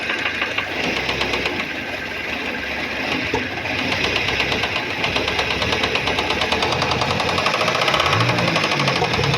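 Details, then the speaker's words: Car that had an engine knock with oil light on, restarted after oil filter change (same oil): oil light now off, but a faint, steady light ticking knock persists at idle up front; cause not yet found. "Só que aqui na frente ainda tem o barulhinho, ó. Pouquinha coisa."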